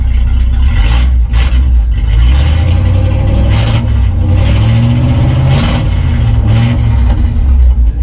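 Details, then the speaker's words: 1965 Chevy C-10 pickup V8, sitting about 25 years before revival, started after resting several days without touching gas pedal or choke; catches quickly and settles into a deep, steady, even rumble with a few blips. Normal start and idle. "I did just start it up while ago but I had let it set for several days not even touch the gas pedal or the uh choke and uh and the truck just starts right up"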